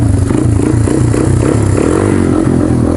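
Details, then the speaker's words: 1995 Honda XR200R single-cylinder cold start with choke, fuel in carb probably stale; thumps steadily with a couple of throttle blips, runs clean with no carb stumble; normal cold idle. "I went a lot better than I expected she's a cold nature so"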